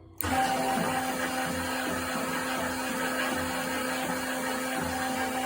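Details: Leblonde Makino lathe, first run after 5 years on a newly installed phase converter, spindle run up to high speed: clean start, then a steady whir with constant hum and no knock, grind or rattle, normal running.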